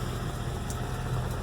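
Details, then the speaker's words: 1971 Mercedes 300SEL 6.3 V8 at a purchase inspection, fuel pump heard before it fires right up: deep, even low rumble, steady beat, no knocks or misses, idling around 800–900 rpm. Normal idle. "let's go ahead and fire this thing up here the fuel pump dawn fires right up idols like eight nine hundred"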